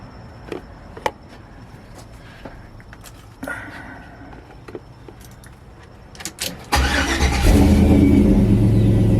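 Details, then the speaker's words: 5.3 Vortec V8 start after replacing fuel injectors (fuel filter earlier swapped for a Corvette filter, fuel lines rerouted), holding pressure, regulator about 60: brief crank, catches cleanly, settles into strong steady idle; everything sounds good, normal start and idle. "Everything sounds good. All right, guys, so as of right now, she looks like she's running all right."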